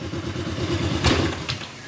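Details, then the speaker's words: Honda Click 125 scooter at idle with the pulley removed; a low, dull tug-tug thudding with a heavier clunk midway, like something grinding inside the engine. It is said to clatter worse with the pulley fitted. Suspected wrong parts or misassembly, not confirmed. "Tapos yung tunugan niya, kala nyo mayroon siyang parang may ginigiling sa loob na yung parang tug-tug-tug gumaganon. Lalo pag nakakabit to, pag nakakabit yung pulley, kung ano yun yung tunog ng kalampag, ganun yung tunog."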